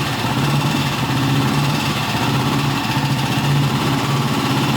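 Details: 1960s BSA 250 single-cylinder motorcycle, restored in the late nineties in an apartment, first startup in a parking garage; low, steady idle with smooth, regular pulse, no misses or rattles; normal idle.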